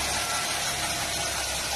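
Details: Ford Ka Zetec Rocam engine after replacing the hydraulic timing chain tensioner that no longer held oil pressure: steady even idle with smooth hum, no chain rattle or ticking; normal idle.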